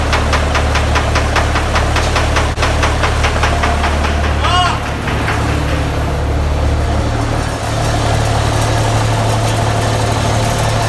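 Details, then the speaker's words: 1984 Peterbilt 359 with Cummins 855 CPL 838 high-compression diesel, just in-frame overhauled after scoring cylinders two and four; steady low rumble with even clatter at idle, no knocks or misses: normal healthy idle after rebuild. "Sounds fucking good, man."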